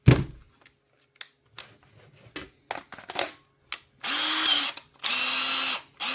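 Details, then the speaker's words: Makita 18V drill that was running slow and smoking, after repair: two short bursts of smooth steady whirring that spin up and stop cleanly, no grinding; motor runs normally again. "Now that it's working, you'd think it'd have a better motor in, but it's not."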